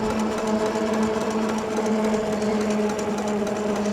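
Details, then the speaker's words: Andsky Gravita LS e-bike, 750W motor (1300W peak, 90 Nm), full throttle downhill without pedaling, about 29 mph: steady, even motor hum with clear tone over light tire roar; normal hub motor running smoothly. "The bike kicks in. There is a hum from the motor. There's a hum from the tires,"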